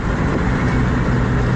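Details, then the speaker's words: Ford 7.3 Powerstroke diesel truck: deep rumble sagging and uneven as it slows, about to stall; check engine light on, power loss limited to ~1 psi boost and ~35 mph; owner suspects camshaft position sensor. "started it back up it was a really rough idle and I didn't really want to stay running"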